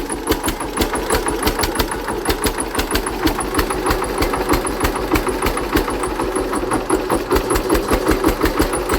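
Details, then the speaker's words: Hatz diesel single-cylinder converted to spark ignition on wood gas: thumps about three beats a second with a hard, sharp edge on each firing; ignition timing too far advanced. "I think the ignition Advance is too too much let me uh ache that a bit and we're back it's about 10° earlier now now I'm very oh that sounds a lot better"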